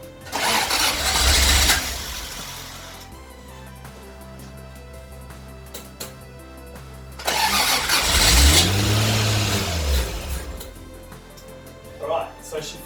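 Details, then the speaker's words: 1977 Toyota Celica RA28 with turbocharged 1G-GTE, first start after 2.5-year build: two cranking bursts catch briefly and sputter out over music. Intercooler piping not connected, so airflow-meter-controlled engine gets fuel but no intake air and won't keep running. "the integral is not connected it's not getting air so pretty much it's just not running it's getting all the fuel it needs but it's not getting air"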